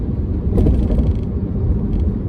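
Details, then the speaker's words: 2008 BMW X5 E70 4.8i test drive after front lower control arm replacement (old ball joint worn out): sharp hollow knocks over bigger bumps, also squeaking downhill; front suspension noise persists, source not found. "Still, there is a hitting noise when I go over the bumps"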